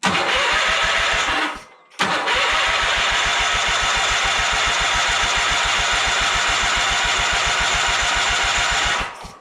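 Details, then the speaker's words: John Deere 317 lawn tractor after engine reinstall, first start attempt: brief crank, pause, then long even chugging crank with no firing; fuel filter empty and still filling. "so my guess is it's going to take just a minute for it to fire up um only from a standpoint of uh it has no fuel in the fuel filter"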